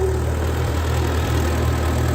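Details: 1939 Ford 9N tractor, revived, idling before road test; deep steady idle thrum with even beat, nothing rattling or knocking; later drives well with good clutch.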